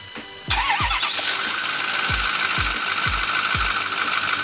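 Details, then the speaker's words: 6.4 Powerstroke truck after a new belt failed to stop the noise; power steering pump and alternator were suspected earlier. A steady high-pitched metallic ring over the idle at start-up, ultimately traced to the belt tensioner pulley. "started back up still ranked drive me absolutely nuts and what it really ended up being was with a tensioner pulley"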